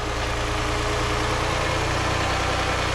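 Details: 2006 Chrysler 300 3.5 V6 with 120,000 miles, running after a no-crank/no-start repair found by checking voltages and grounds: smooth, even idle with a steady low hum and no misses, knocks or ticks, so the engine is healthy.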